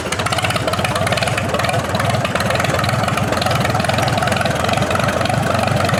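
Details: 1947 Allis-Chalmers B tractor, revived after eight years sitting, after cleaning spark plugs: uneven stumbling idle with occasional skipped firing pulses; slightly better but still misfiring, owner suspects carburetor fuel starvation, unconfirmed.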